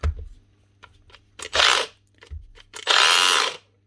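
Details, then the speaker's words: Makita DGA463 brushless cordless grinder after replacing the rotor: two short spin-ups give a harsh gritty grinding roar instead of a clean whine from damaged gears in the gear head. "Nah, no good. Right, so there is damage to the gears up on here. I was hoping they were going to be alright, but they're not. Doesn't take much to make a grinding noise out of the gears."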